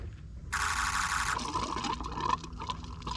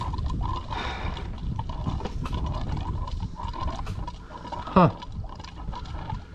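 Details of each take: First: 2003 Ford F350 6.0 PowerStroke diesel with a crank-no-start, found with an empty tank; after adding diesel, key bumped to prime: a brief rushing hiss gives way to gurgling and trickling as fuel fills the bowl. Normal priming. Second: 2003 Ford F350 6.0 PowerStroke diesel, crank no-start, key on; fuel pump makes irregular low gurgling and bubbling while sucking air from an empty tank, fuel light not on.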